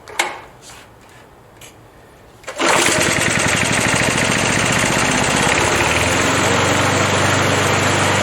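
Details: Briggs & Stratton 3.0 hp Vacu-Jet lawn mower engine (model 92502) after choke diaphragm replacement, fully hot in over 100°F heat: starts at once and runs steady and even; normal hot restart.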